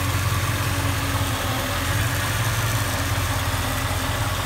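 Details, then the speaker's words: 1989 Chevy Silverado pickup, running in the engine bay: low, steady, even idle with smooth rumble and no knocks or ticks; normal idle, healthy and quiet. "all right so let's dive into the engine bay have it running here just to show you how quiet it is"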